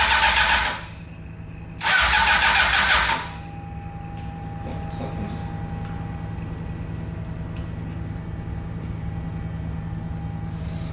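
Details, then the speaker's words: Honda CBR600-engined go-kart with four carburetors, starting after fixing leaking carbs: two harsh ragged bursts backfiring through the carburetors, then catches and settles to even idle; cause unknown. "something's going on in the carburetor here that was weird it's like shooting through the carburetor i don't know what that was about"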